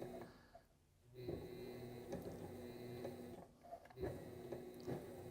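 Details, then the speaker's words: Sailrite 230V sewing machine motor run on a 4000 W pure sine wave inverter: hum sags and picks up every few seconds instead of holding speed; surging, not recommended. "and you can hear it surging okay not a good solution"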